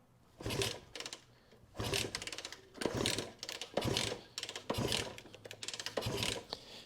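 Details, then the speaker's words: 1967 Honda CB160, being diagnosed for what keeps it off the road: repeated short mechanical clatter bursts, about one a second, with no catch. It cranks but will not start, despite good spark and fuel squirted in. "no it's not even playing it's not even acting like it wants to"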